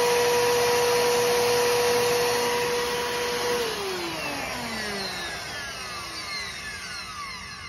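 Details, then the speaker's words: Bissell Powerforce Helix Turbo 68C71 upright vacuum, trash-picked, brushroll locked up and foot release broken: motor whine with a gritty rasping edge dropping in pitch on wind-down; rough running, cause not found. "that don't sound too bad it could sound worse but it do doesn't sound the greatest either um it sounded kind of uh kind of grish wiish wiish grish kind of thing"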